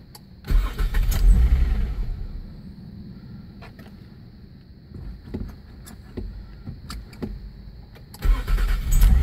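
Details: 2002 Nissan Maxima SE, sat a week unused, old battery replaced: two bursts of steady cranking with a choppy, uneven beat and a quiet gap between; never catches, crank-no-start persists with the new battery, clicking like valves, cause unknown.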